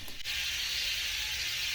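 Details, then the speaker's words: Tractor tire being re-mounted in the woods with strap and soapy water: steady loud high hiss during inflation means the bead hasn't sealed and air is leaking between tire and rim. "in hindsight I've learned when you hear that noise that particular hissing sound that's not good that means the air is coming out between the tire in the rim"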